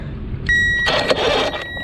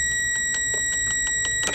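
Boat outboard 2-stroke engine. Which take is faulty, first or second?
first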